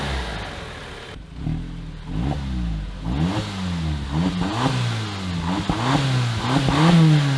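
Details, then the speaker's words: 2015 Audi TTS rollover project after locksmith programmed key and temporary oil pan hole fix: repeated throttle blips, revs rise and fall smoothly with no knocks, rattles or misses; engine runs without shutting off, healthy. "It runs, and it doesn't shut off."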